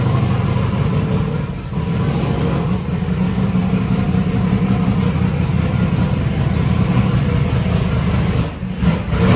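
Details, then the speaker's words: Warm V8 truck converted to methanol, restarted after idling at about 4.7 air/fuel ratio (may be leaned out): cranks right up, deep steady rumble with a brief throttle dip, no misfire; a torn injector O-ring leak was later found. "all right we got fire in the hole good job Brian and Chris and that think ranks right up when it's warm"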